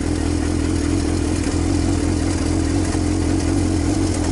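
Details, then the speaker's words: Used salvage-title motorcycle with almost 10k miles, idling cold on choke after sitting about two months with stabilized fuel: steady, even low burble at a slightly raised idle, without misses or knocks. "I don't know whether to take the choke off or not. It hasn't been ran for a couple of months."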